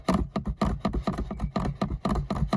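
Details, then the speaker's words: Tesla Model 3 interior rattle heard while driving, from a loose cable in the rear passenger footwell under the seat: quick hollow clattering, about four knocks a second. The plan is to fix the cable in place with Patafix. "Hier, das ist ganz lose. Okay, das mag in anderen Autos auch lose sein, keine Frage."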